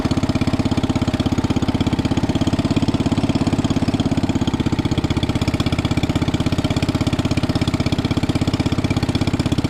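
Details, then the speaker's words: 1961 International Cub Cadet Original, 7 hp Kohler single-cylinder, started on choke and still a little cold while warming up: steady, even thump around 200 a minute with no misses; normal running. "Let me get her started up. Warming up. Start choke. She's still little cold."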